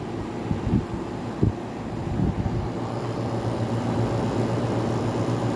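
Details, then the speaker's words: 1985 WCI air conditioner, 1983 Tokyo Sanyo Electric rotary compressor, metal fan impeller, first test drawing about 5.25 amps: soft steady low hum with a few handling knocks, very quiet smooth running, healthy unit. "listen to how quiet that is that's that's crazy"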